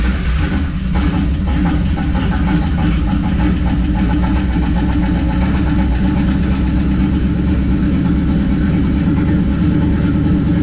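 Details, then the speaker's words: 1969 Plymouth Valiant, stock 360 Magnum V8 with GT45 turbo and FiTech EFI, idling right after first start on new cylinder heads: deep, even V8 rumble, no ticking or knocking; slightly smoky from oil put in cylinders, no blow-by; normal idle. "little smoky, all the oil and the cylinders and all that I put in there. First fire up. Didn't see any blow by or anything."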